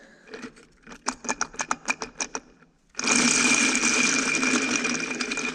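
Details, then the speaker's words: Antique Caterpillar RD4 transmission pinion bearing, removed and spun by hand on the bench: harsh rapid gritty rattle from a bad bearing. "irst, just listen to this bearing. And that thing is just completely junk."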